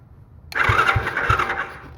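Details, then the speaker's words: Small free ATV/four-wheeler, starter fed straight from a big charged battery by jumping the starter solenoid: it catches right away and cranks briskly with even compression thumps. The starter is fine; the solenoid circuit is not working. "all right so I think probably our starter still no bad cuz it cranks good well this is a big battery so it should crank good cuz that thing's charged"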